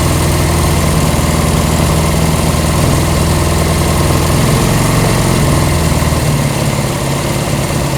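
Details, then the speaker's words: Honda CB200 with aftermarket carburetors, bowls just refilled: steady fast idle held well above normal tickover, dipping slightly at the end; high idle, corrected by adjusting slide position at handlebar. "Let's try it again. There we go. Now, it's idling a little bit high."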